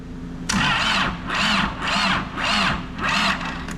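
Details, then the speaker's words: Diesel engine from a rolled, wrecked Caterpillar backhoe, first start attempt on a temporary hookup: four slow, labored half-second cranking bursts that never fire; owner suspects a poor ground connection slowing the cranking. "we close see if we can get that ground a little bit better I probably should be getting the cable for that ground that'll probably save us a ton of time"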